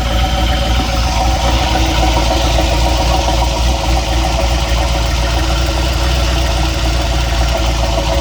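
Steady idle with a faint, loosely regular knock riding under the engine note, about three to four a second; knock of unknown origin.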